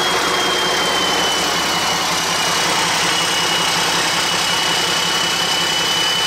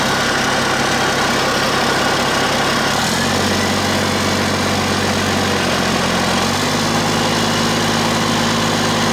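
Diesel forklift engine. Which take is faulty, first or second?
first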